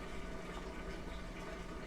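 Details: Kenmore washer that had stopped spinning, rinsing and draining, with a loud hum. Even rushing water over a low steady pump hum, no straining or grinding; the drain pump is emptying the tub normally.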